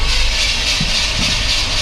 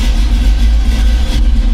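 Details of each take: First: 1985 Chevy C10, cammed, new Holley 4160 Street Warrior 600 CFM carb with electric choke and vacuum secondaries: on a cold start with the choke plate fully closed, heavy, slightly uneven idle running rich as white smoke builds. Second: 1985 Chevy C10, cammed, new Holley 4160 600 CFM carb, cold start after much throttle pumping: deep, lumpy idle with cam thump, settled and no longer racing; normal cold idle.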